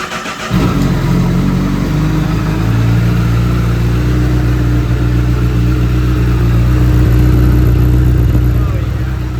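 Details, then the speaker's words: 2008 Honda CBR1000RR first start after purchase: fires right up into smooth, even high idle with strong exhaust note, no knocks or ticks; idle later fluctuates. "wow this thing sounds like a [ __ ] dream man smooth there's no sounds for coming from the motors thing [ __ ] fires right up and the exhaust sounds absolutely gnarly"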